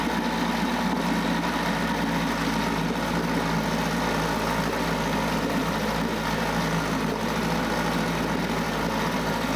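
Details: 9.8 hp Mercury 110 outboard after new water pump impeller and replaced driveshaft/lower-unit seals passed a 10 psi pressure test: steady, even buzzy drone with no misses or surges; runs clean before apparently running out of fuel.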